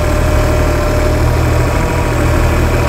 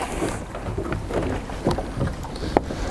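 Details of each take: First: Four-stroke multi-carburettor outboard after setting each mixture screw for fastest idle, bottom carb about 3.5 turns out and leanest: steady, even low idle with smooth hum, no hunting or misses. Normal idle. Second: Four-stroke outboard with carburettor screws removed, leaving open ports that add extra air. It runs rough and uneven, sputtering and surging, lean from the vacuum leak. A leaking carburettor or inlet manifold gasket has the same effect.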